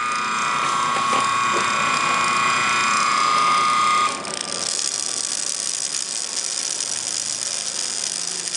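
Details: Antique ring-oiled Wagner 2hp electric motor coasting down after shutdown; high whine drops out, then a rapid dry ticking rattle about four times per second: worn motor bearing, needs a new bearing.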